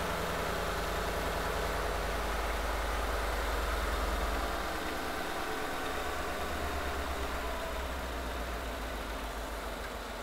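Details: V8 on newer car idling, partway through a coil is unplugged: idle turns uneven with a regular stumble from one cylinder missing on spark; misfire diagnosis demonstration.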